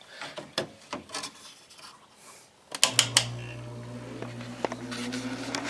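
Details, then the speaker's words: Newly installed Kenmore 5,000 BTU window air conditioner on low speed: a few handling clicks, then a steady low hum with a soft, even fan rush; running normally. "That's low speed. I'll let that run for a little while."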